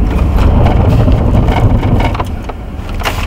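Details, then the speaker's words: Car braking hard on a snowy road: a rough, rapid pulsing grind with vehicle shudder that fades as the car stops. This is the ABS engaging normally. "and the vehicle will come to a stop as you can hear that grinding noise and you can feel the vehicle pulsating you can see it shaking in the cameras that is all normal for ABS brakes"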